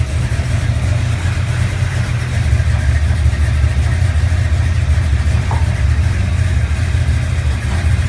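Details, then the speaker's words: 1970 Chevelle 454 V8, cold start after oil change with additive and completed flat-tappet cam break-in: deep, even lope at steady idle with no ticking or knocking; normal idle, engine healthy. "We're going to go ahead and give it a cold start and see what it sounds like. After the oil change and the cam broken in."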